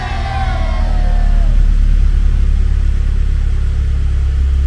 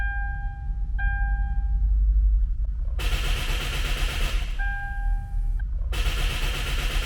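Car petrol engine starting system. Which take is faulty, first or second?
second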